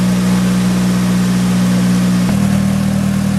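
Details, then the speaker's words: Nissan S15 SR20DET of unknown history, idling just after an engine oil flush with new oil and new filter: steady, even idle with a low hum and a slight step in tone midway, no tapping or knocking; sounds healthier, normal idle. "all right so that sound healthier let it idle for a while"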